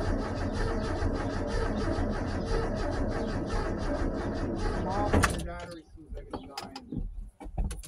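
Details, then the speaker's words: Long-dormant 1984 Ford F-150, about 40 years old, hot-wired, with the fuel pump or spark in doubt: slow, labored cranking at about two turns a second for five seconds, then it quits without catching; the battery is too weak, so a jump pack and recharge are needed. "do it again yeah I might have seen a little bit but the battery I'm g go gra the jump back we're going to have to recharge the battery"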